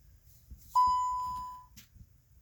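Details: 2015 VW Golf that won't start: one steady high beep of about a second in a quiet cabin, with no cranking and no engine. The cause is unknown, and the owner wonders if it was hacked.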